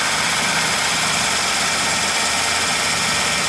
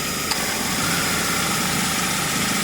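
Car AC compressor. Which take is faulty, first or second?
first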